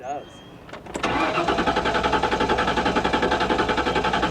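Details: 1998 Ford Explorer, spare fully charged battery, about quarter tank, theft light out with first key; door chime then even healthy cranking about four turns a second with no firing; crank no start, failed fuel pump.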